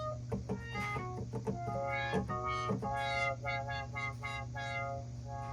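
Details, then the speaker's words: Korg Trident synthesizer under repair: brassy notes swell and close as the brass filter is swept over a steady low hum, so the brass filter works normally, while another section gives no filter at all. "Yeah, cuz we're not getting any filter at all. But the brass filter is working."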